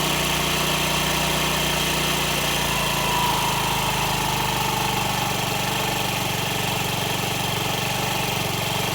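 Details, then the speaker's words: Honda Ruckus scooter just started after new fuel pump, carb bowl refilled, idle initially high and not yet warm: settles to a lower, smooth, even idle with no stumbling; normal idle. "So it sounds like the idle's a little bit high. Maybe it needs to warm up a little bit. I might need to drop it down."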